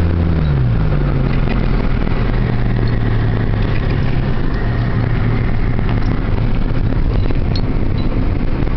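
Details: 1997 Honda Civic LX automatic with check engine light and catalyst efficiency below threshold bank 1 code: a deep, loud rumble rising with revs pulling away from a stop. The owner suspects the muffler, unconfirmed.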